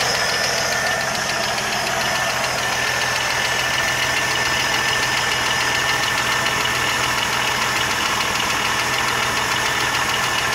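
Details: 1980 Jeep CJ7 at idle: a light, fast ticking of roughly three or four a second over a steady idle; a top-end tick of unknown cause.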